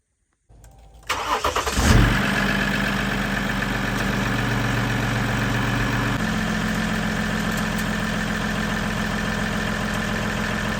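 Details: Ram EcoDiesel just after installing aFe Blade Runner charge pipes: quick crank and catch, brief flare, then steady even diesel idle with a faint turbo whistle, turbo more audible than before; healthy.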